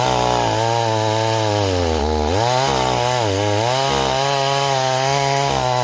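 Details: Stihl 026 chainsaw returned as a no-start, cutting a log in chilly weather: steady drone whose pitch sags and wobbles under load; carburettor running too rich, rakers possibly filed too low.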